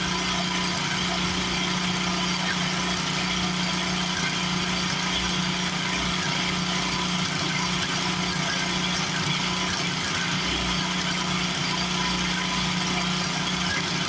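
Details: 1962 Hahn Eclipse rototiller, long-stored, running with a new muffler: small single-cylinder engine runs at a steady, even speed with a rapid exhaust beat and no knocks; sounds healthy.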